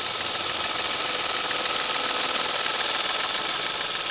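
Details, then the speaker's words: 2017 Ford Fiesta SE after a failed radiator cooling fan was replaced: the new fan kicks on shortly after the engine reaches 210 and gives a steady, even rush with a faint constant tone and no rubbing or ticking, so it is working normally. "210 all right so any moment shortly after 210 is going to kick this fan on and then we need to run out there real quick and make sure we should hear it oh there it is pick yeah baby nice"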